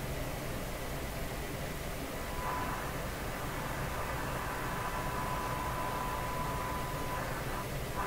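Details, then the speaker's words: RCA Victor 5T5 radio during front-end alignment, with a signal generator feeding the antenna and the dial near 1600: a steady hiss with a thin whistle drifting in and out. Receiver noise being detected, cause not found. "there's a noise signal in there and that noise is getting detected"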